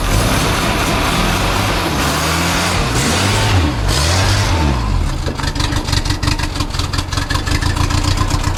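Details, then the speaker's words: 1980 Toyota Corona Wagon after years sitting with varnished fuel: four-cylinder stumbles unevenly under throttle at about three beats a second while revving, missing on some cylinders; cause not confirmed. "sounds like she's running out about 1.3625 cylinders oh my chill"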